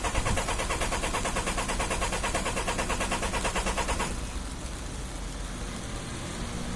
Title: Hard start, white smoke